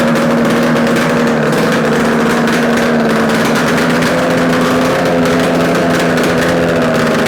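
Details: Yamaha RD250 two-stroke twin on a test-stand mount with total-loss ignition, running after coil wire swap and carb adjustments; steady, even, fast buzz with no knocks, rattles or misses; running healthy, likely a good engine.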